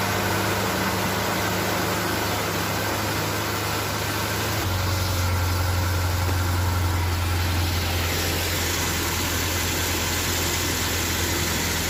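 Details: Nissan Navarra diesel being repaired for misfire code P0304 (cylinder 4) idles with steady clatter, an even beat and no stumble or skipped firing; seems to run smoothly on all cylinders.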